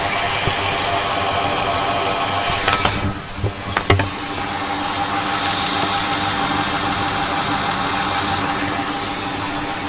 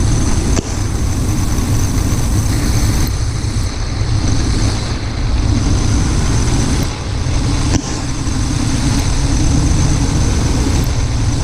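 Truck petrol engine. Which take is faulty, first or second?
second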